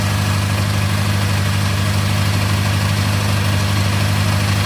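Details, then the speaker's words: Acura TSX with a custom exhaust using the stock mufflers, idling before warm-up: a steady low hum with a faint, even rattle about three per second, blamed on a heat shield rattle; the owner also suspects the clutch throwout bearing. "There's a heat shield rattle. I gotta fix that, but it sounds pretty good. Still sounds quiet."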